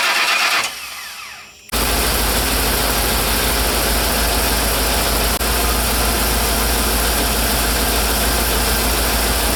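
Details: Ford E350 bucket van after a crank-no-start repair: the starter whirs and the engine catches, then holds a steady, loud, even idle with no misfire or knock. Normal idle.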